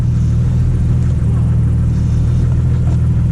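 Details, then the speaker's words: 1989 Jeep YJ after a GM truck power brake booster swap: a steady, even low engine rumble, and the earlier jet-engine vacuum hiss is gone, so the booster seals fine; the pedal still goes to the floor because the brakes are not yet bled. "okay remember that jet engine noise that we heard earlier on when I first started this project that's not there"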